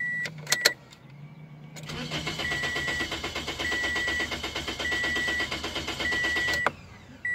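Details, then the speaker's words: 2006 Toyota Corolla S: starter spins engine steadily about five seconds with even cranking beats but never catches; scan tool shows crank sensor RPM signal intermittently dropping to zero; crank no-start from failed crankshaft position sensor. "there you go see now it's working but still won't run that's the way it should be register me stop it crank it again so we got a bad crank position sensor"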